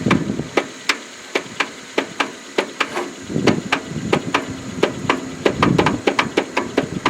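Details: Free riding mower, choke on, throttle full, jump-started through jumper cables: sharp, even clacks three to four a second, turning over but never catching.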